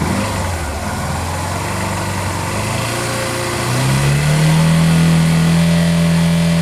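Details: Yamaha Factor 150 single-cylinder motorcycle after repair and stator replacement, charging being checked: even idle beat climbing cleanly to a steady higher rev with no rattle or knock; the former alarming noise is gone, engine healthy.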